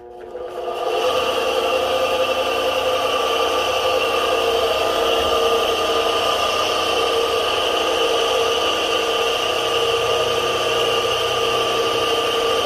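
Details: Repaired kite-line winding machine, winding line to the end of a reel: even constant motor hum with steady whine, no grinding or stutter; normal running.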